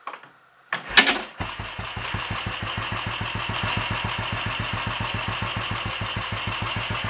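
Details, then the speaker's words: Royal Enfield 500 'Red Baron' after full engine rebuild (new main bearings, forged conrod with roller big end, forged piston, alloy barrel), ignition timing checked and tickover set; kicks over, catches, settles to even steady single-cylinder idle, no hunting or misses; normal idle. "although is quite happy with life"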